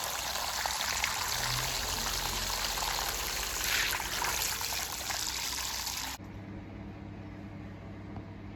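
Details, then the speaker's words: Narrowboat engine bay bilged out with a new large bilge pump held low by the tiller. Steady gush and splash of water over an even motor hum, no stutter or strain. Pump running normally, nearly drained. "Okay. That indicates that noise that it's pretty much done. Pretty much run out in a second."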